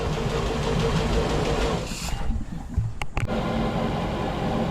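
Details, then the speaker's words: 32 ft SeaVee outboard after a complete rewire, restarted once the fuel was primed and the fuel rails had filled (it ran rough at first). Low, steady, even hum with no misses, settled into a smooth idle. "yeah, she's purring like a kitty now."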